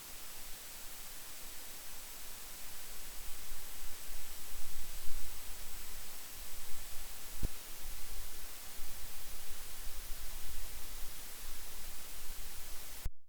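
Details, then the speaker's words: Focusrite Scarlett 1st Gen interface mic preamp, which becomes noisier after running a while; steady hiss with heavy low-frequency rumble building beneath, problem still present, cause not yet found; preamp low-frequency noise rise. "ut that is such a low region here this this whole frequency range where it becomes really drastic that it barely comes through all that noticeable but still it's there okay the problem is still there"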